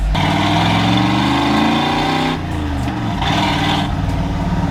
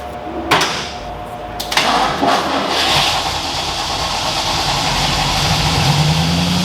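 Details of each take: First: 1986 Ford F250 V8 just after a ZF5 manual transmission swap, running quietly with soft exhaust burbles and no whine or grinding; map and TPS behaving oddly; normal running. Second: 1986 Ford F250 after ZF5 manual transmission swap, first start: engine runs but a harsh raspy grinding stays over idle; owner suspects starter hanging or something at the flywheel. Truck moves.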